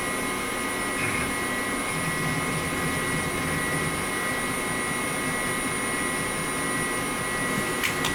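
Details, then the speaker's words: 1998 Pentium Pro gaming PC with Voodoo 2 and SCSI drives, fully loaded at startup: steady loud rushing hum with thin whining tones; the front Nidec fan makes lots of noise while moving little air. "it was fully loaded so this thing's pretty loud and i'm not quite sure how to feel about it that insult to injury the nidex fan at the front does not move in a whole heck of a lot of air considering how much noise it's making"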